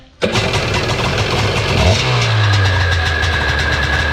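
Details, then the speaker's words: Seadoo XP 800 two-stroke after draining the water and reconnecting a loose hose, with good carbs fitted and rave valves cleaned: fires instantly, revs cleanly and settles to a steady even buzz, a normal start and rev. "Sounds pretty good now, so we'll give it another try. Amazing how much better they run when they don't have water flinging up into the car."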